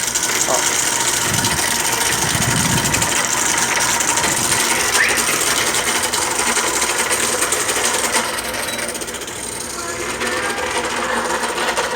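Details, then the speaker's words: Inverter air conditioner indoor unit after gas recharge, harsh continuous rasping grind like a stone-crushing machine as the blower wheel scrapes ice packed between evaporator coil fins; must wait for ice to melt. "só que agora eu vou ligar aqui ó para vocês ouvirem não dá nem para ligar a máquina parecendo uma máquina de moer pedra"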